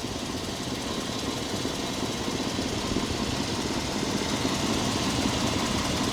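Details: 1997 Chevy 1500 V8, 330,000 miles on the body, motor mileage unknown, idling while the owner listens for a possible lifter tick: even, busy idle with a steady patter, no distinct tick or knock; the motor sounds good.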